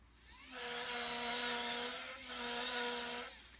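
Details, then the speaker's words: Celestron CGX telescope mount, RA and DEC motors: two harsh, buzzy bursts with a strong nasal, otter-like barking tone. Grinding is from a loose worm gear motor mount, screws likely loosened by vibration over time. Fix is a slight retighten. "sounds really bad i typed um cgx mount sounds like an otter and it came up so other people are having this issue"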